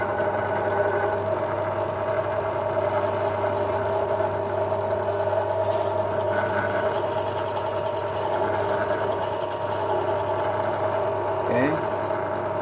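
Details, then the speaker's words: Ryu bench drill after cleaning and regreasing: steady, even motor hum with a clean constant tone and no knocking or grinding; runs smoothly after service. "Nah ini ini kan tadi kan sudah dibersihkan ya kita coba Nyalakan Apakah suaranya halus eh eh Hai terus naik turun"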